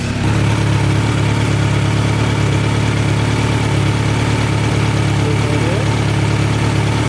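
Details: 2017 Kawasaki Z900 idling after its first 600-mile oil change, checked for leaks: smooth, even low-pitched idle with a steady beat and no knocks or rattles, then cuts off; healthy engine.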